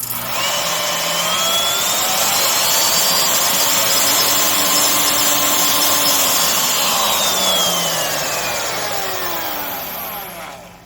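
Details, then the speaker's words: Skil RT1322-00 1/2" digital router, 1680 W 14 A 120 V, before repair: high motor whine, then after switch-off a rough wavering vibration during deceleration from spindle end play caused by loose silicone bearing tension washer, possibly dropped. "And maybe this was dropped, as I said earlier, but there is end play on that spindle, and it has a bad vibration when it decelerates after turning it off."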